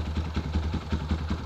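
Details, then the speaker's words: Kawasaki KLX150 bored up to 170 cc, carb and valves just set, starts on one press: single-cylinder idle at about five beats a second with a light tick each stroke, mild and acceptable for the non-standard bore. Normal idle, slight valve tick. "Kalau suara mesin emang ada suara ngelitik dikit ya teman-teman. Nggak bisa halus banget, wajar lah, namanya no kelas bikinan."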